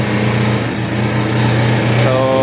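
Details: Honda Click 150 single-cylinder scooter engine, in a starter relay problem repair: steady, even idle buzz with no misses or knocks; running normally.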